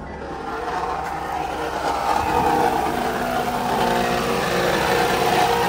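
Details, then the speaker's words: Vehicle with a 3.5L V6 per sticker, at idle: harsh, rough grinding rising slightly and never settling, quite horrendous, easing somewhat later. "oh it kind of slowed down some the noise it stopped stop being so horrendous it's quite horrendous"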